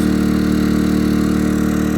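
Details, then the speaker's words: Yamaha EF2000is 2 kW generator, below zero outdoors, powering a whole 3-bed house plus garage lighting: steady, even hum at a constant pitch with no surging or hunting; normal running under load. "all right here we go all of this the entire house running off of a Yamaha ef2000"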